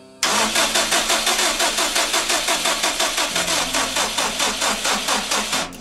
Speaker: Даже не качает насос, когда поворачиваешь ключом. Нихуя не происходит, только стартёр крутит и всё.